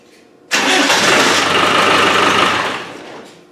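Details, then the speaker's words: Land Rover 300Tdi diesel, previously hard to start: catches instantly with one sharp burst and runs strong and even; a bad connection on the injector pump is thought to have been the cause; normal start. "so I think they've solved our problem it must have been a bad connection on the pump because that fired up straight away"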